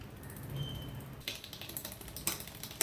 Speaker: shift to the second last position now pedal the chain should go to the sixth Cog that we just set but it doesn't you just hear chain rub which means we need to increase the cable tension by turning the barrel counterclockwise